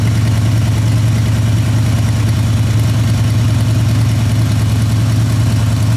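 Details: Junk truck, started after sitting months, shaking hard: deep, uneven, lumpy loping idle about three pulses a second; one cylinder down, suspected rear cylinder, not confirmed; engine swap considered.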